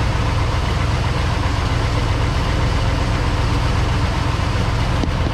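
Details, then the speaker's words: Truck started for the first time in about eight months, 60 psi oil pressure: deep, steady idle with low rumble, no knocks or misses, sounds like a giant fan; healthy. "time it's ran in about eight months youtube got 60 pounds of oil pressure hmm this thing sounds like a giant fan"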